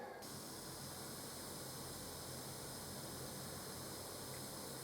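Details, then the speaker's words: 200W BTL amplifier after swapping in OPA2134 op-amps, master control at full: constant even hiss with faint low hum underneath; still noisy, same or worse, cause not pinned down. "I would have thought that there'd be some difference. So turn it on, wait for the relay. Okay. Well, it's still noisy."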